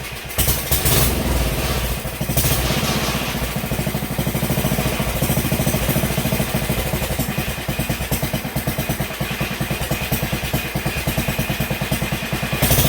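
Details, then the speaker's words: 1971 Sears Custom 10XL tractor's 10 hp single-cylinder engine first running again, with a carburetor borrowed from another 10 hp engine and the charging system not yet connected: an uneven, loping thump that never settles. The carburetor needs adjusting. "Needs a little bit of adjusting because I pulled this carburetor off a different engine, so they're not going to be exact, even though the other one was also 10 horse."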